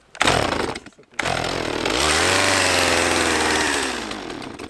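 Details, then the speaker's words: About 8-year-old Stihl MS 180 chainsaw after long idle, flooded plug dried and restarted: quick cough then steady high buzz, revs swelling and easing smoothly; running fine. "Вот и все самое тяжелое завести ее после долгого простоя"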